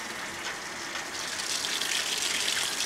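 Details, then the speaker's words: Maytag top-loader washer on normal cycle, being tested during repair for no agitation: steady hiss of water gushing into the tub, building slightly louder; filling normally. "we'll let that fill and once it gets started I'll bring you back in this is going to take a little while to fill it's a pretty good size top loader"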